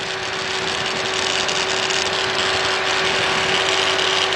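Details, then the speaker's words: Chevy Equinox/Buick Rendezvous-family engine at 142,000 miles, at idle; fast buzzing tick about four a second over a steady hum, heard through a hose held near the valve cover/intake: EGR valve noise, cause unknown. "right there at the EG so it's the EGR valve making the noise"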